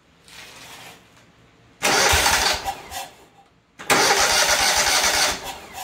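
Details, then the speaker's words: Kohler CV730 twin on Great Dane zero-turn that cuts off, air filter pipe off: catches, runs about 1.5 seconds, dies twice; confirmed fuel problem, carb or supply side unknown. "What's that tell us? We know it's a fuel problem. Now that we know for a fact it is a fuel problem, let's see if this carburetor or if it is before the carburetor, meaning a fuel line, fuel pump or something in the tank or or something like that."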